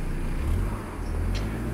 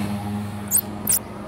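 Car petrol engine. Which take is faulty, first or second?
second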